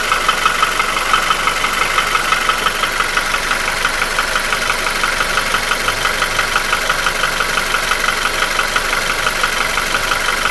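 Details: QG16DE engine without hydraulic lifters, rebuilt 2000 km ago with new rings, oil scraper rings, chain and shoe. A regular light knock at about three per second at idle started 1500 km ago, survived an oil change and goes away with revs. Owner suspects the front of the block between cylinders 1–2; source unknown.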